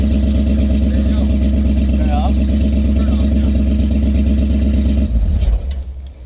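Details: 2001 BMW 540 wagon, M62 V8 manual swap with E39 M5 headers, first start after sitting six years, new fuel pump: deep even V8 burble at steady idle, no knocks or misses, clean shutdown; normal idle.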